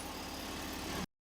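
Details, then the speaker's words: Frogeye Sprite (Bugeye) engine idling in neutral with choke partly out after valve adjustment, points gapping and tach drive gear repair: brief, even, regular idle with no missing or ticking; runs smoothly, repair success. "That sounds way better than it did before I did all those adjustments. So, I'm going to call that a success."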